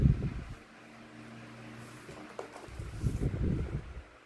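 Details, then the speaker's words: 2016 Arctic Wind 12-inch desk fan, found discarded, plastic oscillation gearbox: low steady motor hum and soft airflow, smooth oscillation with no clicks or jerks; gears fine, normal operation. "And if you kind of listen closely, you could kind of hear the fan producing a humming noise. That is one smooth oscillation right there. It's not jerking, it's not clicking in place."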